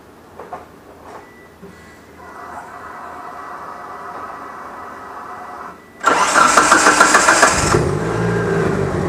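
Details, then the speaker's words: DSM on Haltech ECU after fitting The Harness Shop K-series coil-on-plug kit, no tune changes: brief crank, catches at once and settles into steady, even idle; plug-and-play, normal start and idle. "There you go. You fire it up. You don't have to change anything on the tube."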